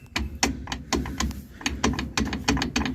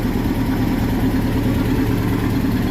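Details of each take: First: 2006 Nissan pickup with a loud rear noise while driving: driveshaft rocked by hand gives sharp, uneven metallic clicks from the universal joint at the differential yoke, which is worn out; the three U-joints are to be replaced. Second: 2006 Nissan pickup after replacing the universal joints, rear wheel raised and spinning in first gear: steady, even drivetrain hum with no clunks, clicks or vibration; the rear noise heard while driving is fixed and the driveline is normal.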